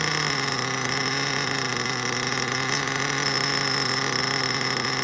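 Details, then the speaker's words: Mugen MBX5 1/8 nitro buggy engine, still brand new and preheated, run after sitting 14 weeks put away wet: fast buzzy idle that won't settle and keeps rising; still lean down low on the low-speed needle, plenty rich up top, not single-staging. "Still sounds lean down low. You know, it's rising up. It took a second there to go."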